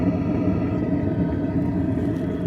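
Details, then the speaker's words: Vevor diesel heater after relocating the fuel pump to stop siphoning, backfiring and white smoke on start-up, and adding a combustion air intake: even, steady combustion roar, mostly fan speed rising, no popping or the earlier vibration. "I can still hear the combustion chamber but I can really just hear the fan speed increasing whereas before you could really hear that vibration kind of noise of the combustion taking place"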